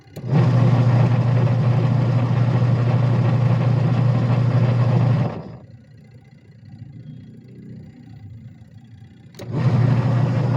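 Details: Sharp Gigawash 6 5kg washing machine: steady low hum for about five seconds, a pause, then it picks up again with smooth agitation strokes; the washer is running normally.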